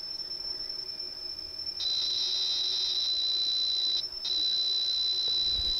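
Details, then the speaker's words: Atari XC12 tape drive from a 65XE after cleaning and repair, replayed through headphones: clean steady high data tones on the right (program) channel shifting pitch with a brief dropout; saved program recorded correctly, normal data playback. "it sounds like it's recorded good and was on the right side which is the program side so the actual unit has recorded my saved program"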